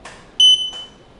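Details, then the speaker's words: Journey Air lightweight folding power wheelchair backing up: a single sharp, high-pitched beep about a third of a second long in a quiet room; normal reverse warning beep, which can be disabled by holding the horn and slower-speed buttons. "Now there is a reverse beep that I'll show you how to get rid of. So if you don't want the chair to beep when you back up,"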